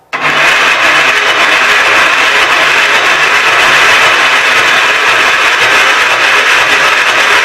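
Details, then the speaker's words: Gravely 810 with extra gas dumped in the carburetor and good spark shown. A steady cranking churn never picks up into firing. Owner unsure, suspecting flooding and trying choke off; it won't fire across the gap. Weak battery. "I don't know turn the choke off maybe it's flooded I don't know nope just won't burn that Gap"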